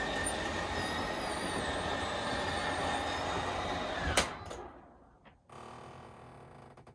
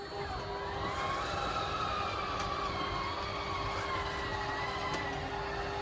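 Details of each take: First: Schwintek RV slideout after Lippert replaced one side, in cold weather: steady, even motor drone for about four seconds then a clean stop; runs smooth and healthy, faster than before repair. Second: Schwintek RV slideout before repair: motor drone with a wavering tone that sags as it labours, slide extending only an inch or two; slideout motor bogging down, later repaired by Lippert.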